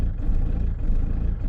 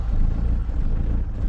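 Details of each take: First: Diesel van idling after a new lift pump (fuel solenoid) and fuel filter were fitted, building up pressure. Deep, steady clatter with an even beat, sounding much healthier; normal idle. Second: Diesel van just fitted with a new lift pump, fuel filter and fuel solenoid; low, lumpy idle that surges unevenly while the new pump purges air and builds fuel pressure; rough running while the fuel system primes.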